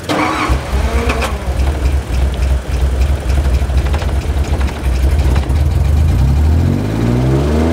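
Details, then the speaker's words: 1986 Nissan 300ZX started after long sitting, rough start then steady idle with light ticking; owner first thought rod knock, now suspects a lifter; oil found a little low. "oh my god it idles kind of sounds like it has a rod knock nah that's a that's a lifter i guess"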